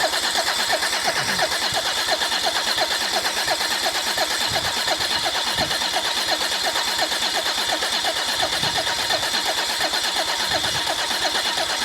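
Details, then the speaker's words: Rebuilt Mercedes OM606 diesel cranked, not firing, to prime oil through the oil cooler and filter housing, cooler lines fitted: even starter cranking at a steady pace, about 86 beats a minute; healthy crank while oil pressure builds. "Make sure your oil cooler lines are on. Yep, they're on. That will be filling the housing."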